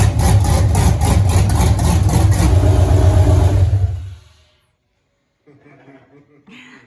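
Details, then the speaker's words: 1983 Ford Mustang with rebuilt 5.3 LS V8 from a 2002 Avalanche, aftermarket cam, 4L60E transmission, first start: fires quickly into a fast, even lopey rumble for about four seconds, then shuts off cleanly; healthy. "All right. So we fired the motor up there. Everything sounds good there."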